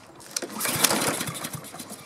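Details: Husqvarna self-propelled mower with a Honda engine that the owner couldn't start. Quick recoil pulls give short uneven chuffs that never catch: cranking no-start. It was later traced to an electrical fault with no spark, not fuel.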